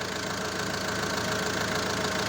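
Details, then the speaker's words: Renault 1.9 diesel, first start after rebuild, run briefly without coolant and with no exhaust fitted (catalyst removed); even, very quiet diesel clatter at steady idle with no knocks or hunting. Normal idle. "jak widzicie pracuje z o.o to oczywiście jest bez płynu zaraz gasimy Patrzymy czy nie ma wycieków ale jak widzicie idzie bardzo bardzo równiutko bardzo cicho"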